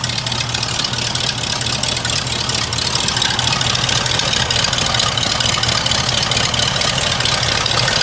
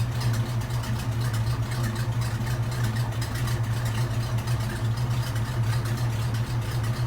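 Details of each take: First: Hearse just after exhaust work, warming up before its 50-mile break-in oil change: uneven, loping idle with a hiss; vacuum leak from a collapsed PCV valve hose sucking itself shut, hose needs replacing. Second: Old classic hearse right after its 50-mile break-in oil change (5 quarts with filter), with a fixed PCV hose and a custom Y exhaust: smooth, even low idle with a steady hum and no ticks, misses or hiss; quiet and healthy.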